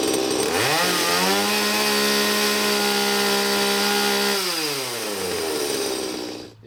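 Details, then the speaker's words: Stihl MS170 chainsaw after upgrades (12-inch bar, full chisel chain, muffler mod, adjustable carburetor, timing advance) revs up crisply, holds a clean steady high scream and drops back to idle smoothly; tune sounds right, no further tuning needed. "sounds fine I'm just gonna leave it as is and do some cuts"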